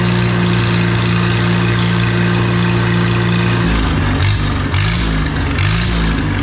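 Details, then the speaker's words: Oliver 66 tractor after Marvel Schebler TSX carburetor replacement: steady low beat picking up cleanly with throttle, even firing, no stumble; loads up far less after idling than the old carb, slight gray smoke remains; normal running. "And it's not loading up nearly as bad."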